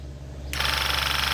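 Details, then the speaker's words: Graco 360 true airless paint gun spraying into a bucket: a hiss over the fast, steady, even banging of the piston that draws paint in and blasts it out. This is the normal, somewhat loud working knock of the pump, not air. "If you hear that banging, it's like a piston in there that's drawing the paint in and blasting it out with a piston. So it's not air. So it's a little loud, but some of them old ones are super loud."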